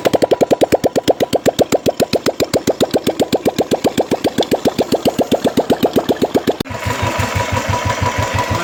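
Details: Royal Enfield Classic 350 after repair of a tik-tik noise with new piston rings, two valves, two valve guides and a head gasket: even, steady thumping at about four beats a second with no ticking; healthy normal idle.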